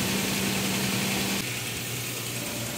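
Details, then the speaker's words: Freshly overhauled, rebuilt V6 engine idling right after its first start: steady, even smooth hum settling slightly lower after a second, loud but no knocks or misses; healthy idle. "Lakas ng kanya. Ingay niya sa unang start. So yan mga kaibigan yung unang andar ng ating overhaul."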